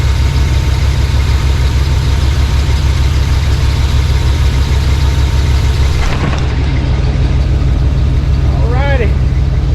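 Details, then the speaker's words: Suburban V8 with a newly installed Evil Energy 600 CFM carburetor with electric choke, first start: deep, even burble at a smooth, steady idle with no stumbling or hunting; not smoking, not running rich. "That thing tell you guys, that thing runs better than old Elder Brock. Sounds good. Ain't smoking. Don't smell rich."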